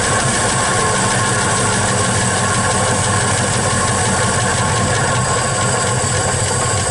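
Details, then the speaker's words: 1961 Studebaker Champ truck being run again: steady even idle with smooth low rumble, no knocks or misses, idle could be set a little higher; running decently. "I think I'll set that I go up a little bit but sounds like it's running pretty decent to me"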